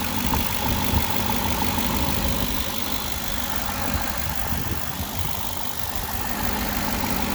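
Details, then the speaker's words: Cadillac whose engine was reportedly replaced by the dealer 2–3 years ago. Steady, even, quiet idle with a smooth low rumble and no knocks, misses or vibration: normal idle, healthy engine. "Engine sounds quiet enough. Now they said that this engine was replaced 2 or 3 years ago by the dealer. So sounds healthy, there's no weird vibration."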